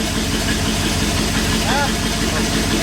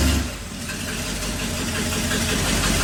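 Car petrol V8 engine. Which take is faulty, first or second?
second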